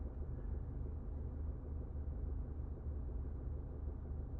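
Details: 2020 Subaru Forester at idle, heard inside the cabin: steady deep low humming and buzzing, no higher-pitched noise; owner doesn't know the cause or whether it is normal.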